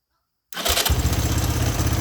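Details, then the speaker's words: 1983 Honda 200E three-wheeler single cylinder with a new carburetor fitted: silence, then it catches at once and settles into a quick, steady idle with no stumble, purring. It still smokes. "Oh, listen to that. That thing is purring like a kitten. It's amazing what a new carburetor will do. That is awesome. That thing sounds good."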